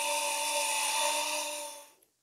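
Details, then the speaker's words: 750 g electric grain mill grinder with the lid latched, in its first roughly three-minute grinding run; it gets very hot. A loud, steady high whine with a harsh grinding hiss holds, then winds down. The mill is running normally. "so go ahead and latch this down and then we're going to go ahead and we'll go ahead and turn this on very loud"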